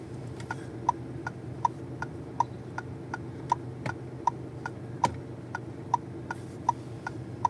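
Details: 2024 Fiat Fastback Audace, engine idling quietly, car stationary: sharp light tick about 79 per minute, fairly regular, heard from the steering; ticking noise in steering, cause unknown.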